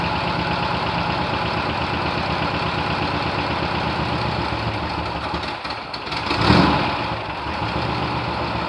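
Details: 1972 VW bus air-cooled engine, last registered 1990, first start in nearly 30 years: steady, even chuff idle with a brief throttle blip, running smoothly; normal idle.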